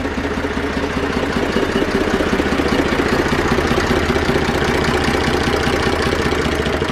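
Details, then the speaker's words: Zetor 4911 tractor diesel, sitting unused since 2012 after an engine renovation, restarted and warming up: steady, even three-cylinder chug with no knocks or misses; normal idle. "okay let's get a bit of heat into it but uh running sweetly"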